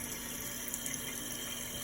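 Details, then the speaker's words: Toilet tank refilling after replacing the noisy fill valve: steady hiss of water running in with no whine, squeal or after-noise, normal quiet refill. "The only noise you can hear is the water going in there. Refilling. Ain't no after noise, you heard it."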